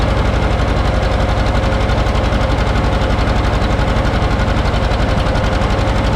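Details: John Deere 530 two-cylinder tractor, started after battery charging failed; slow, even two-cylinder putt at about four beats per second, steady with no misses or knocks; healthy idle.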